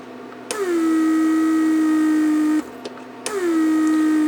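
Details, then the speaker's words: Repaired 1999 Mercedes S-class door lock PSE pump on a bench test with a small vacuum leak deliberately left open. The pump whirs, stops briefly and restarts, cycling constantly, which would burn out the motor. "Basically, I just left a little opening, so it will just continue leaking vacuum, and pump constantly cycles, and that would burns the motor."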